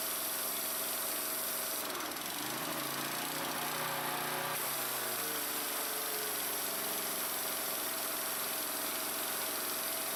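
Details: Troy Bilt pressure washer engine just after pump replacement, running under test with water pressure on: steady buzzy drone, no obvious knocking or surging.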